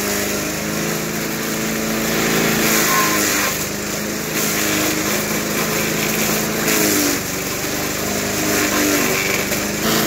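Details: 1991 all-steel MTD 8hp chipper/shredder, a dump find with a Tecumseh HM80 cast-iron-sleeve engine, running after a new wheel and carb adjustment. Steady single-cylinder drone at full throttle, holding speed as material feeds through; pulls cleanly and sounds healthy.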